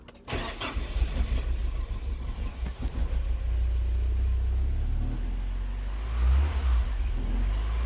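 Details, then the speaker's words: Porsche 944 project car, start after replacing leaking vacuum lines: catches after a short crank, then lumpy low idle surging and sagging, rich smell; owner suspects leftover fuel from earlier start attempts, smoothed out after minutes; hard start, rough idle. "okay so as You observe with those clips I ran the car for a few minutes it seemed to iron itself out probably left over fuel that's why the rich smell cuz it wasn't running right or the previous start attempts"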